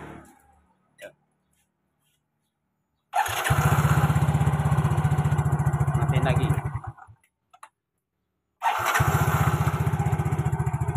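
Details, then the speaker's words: Yamaha Mio GT scooter starter, previously rough and heavy, cranking after the starter motor was disassembled and reassembled with cover marks aligned; two short, smooth, even cranking bursts with no grinding, starter now working normally. "Oke, teman-teman. Motor starter sekarang berfungsi dengan baik."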